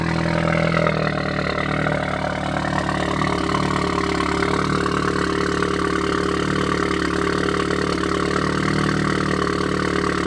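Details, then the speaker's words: 2016 Audi S3 with new CTS 3.5-inch high-flow catted downpipe and AWE switch-path exhaust, on lift after install: steady idle with sharp fast ticking, about three or four per second, and crackles; exhaust leak. "Like you said, it's pretty distinct. It's like It's sharp. And then I heard some crackles in there."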